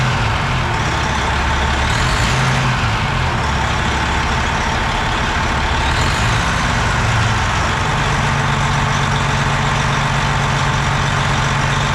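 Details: Semi truck diesel first start after valve train work, rockers and stem buttons checked, injectors left in, fuel filter swapped, valve cover off: settles into a steady low idle with an air hiss at the start; even clatter, no miss, running right.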